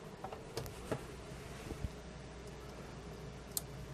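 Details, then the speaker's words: Leviton LTB30 exhaust-fan timer that had buzzing after about a year, now relay pulling in and out cleanly with crisp isolated clicks after adding a parallel capacitor to its relay smoothing capacitor. "so now the circuit actually seems to working you can see the little really element pulling out if I turn the system off and pulling in if it turns on"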